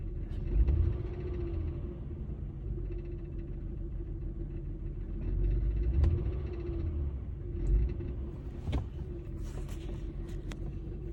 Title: 2003 Honda Accord V6 Rattling sound from engine; mostly heard from inside; smells debut!